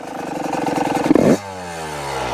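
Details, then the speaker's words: Yamaha YZ125 two-stroke, previously running rich, with Mikuni TMX carb air screw set three turns out: idles with quick popping beat, then bogs when the throttle is snapped. Too lean; air screw turned in half a turn. "Yeah, I think it might be too lean now. Yep. Hear that bogging"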